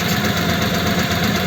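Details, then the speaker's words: Old French flathead engine in a 1941 pickup, idling after starting: steady idle with a faint continuous whine from mismatched cam and crank gears, the gear having been changed before. "now I can hear that it's got a wine and that is a wine that you get with a mismatched"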